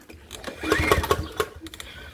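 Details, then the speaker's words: PowerSmart 170cc lawn mower from a flooded basement, pull-start after fitting a new spark plug: four or five clear compression puffs but it never fires; compression present, spark assumed, fuel system still to check. "sound like we got a little something hang on that's a primer let's try to hit the primer a couple times and see"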